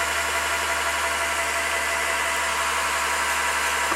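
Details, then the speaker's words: Triumph Spitfire MkIII with new valves and guides, spark plugs out and carburettor off, cranked to build oil pressure before compression test; steady even starter whir, no compression chuffs: normal cranking with plugs out. "so while the plugs are out i'm gonna spin her around and get her pressure up"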